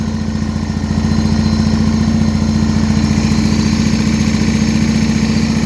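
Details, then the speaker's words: 1980 John Deere 317 tractor, unrun for about three years after an electrical fault, fuel tank pressurized and choked, finally starts: a steady, even normal idle with a low thump about twice per second and a constant hum. "oh [Music] so she's finally started and idling"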